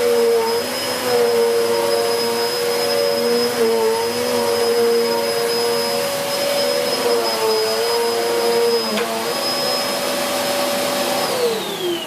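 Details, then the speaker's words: Hoover Whirlwind Pet WHS2102 bagless upright vacuum, 2100W, bought 2013, belt refitted, on carpet: loud steady motor whine with high whistle and busy aggressive brush roll, pitch dropping at switch-off; running normally, raising carpet pile well. "It's really raised the pile on that carpet nicely, and you can hear by how noisy it is that it's aggressive."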